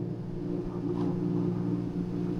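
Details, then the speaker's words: Hisense portable window air conditioner, cooling, compressor engaged; steady low mid-pitched hum, no rattles or clicks, no loose-plate or floor vibration found; normal compressor hum. "That's talk in the menu. This is the noise and this humming noise it could make."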